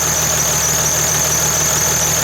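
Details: 2008 Dodge/Mercedes Sprinter 3.0 L diesel, after replacing a sticking thermostat and refilling coolant: steady diesel idle, smooth low rumble under a constant high hiss, no knocks or misfires; no leaks at the thermostat housing, sounds healthy.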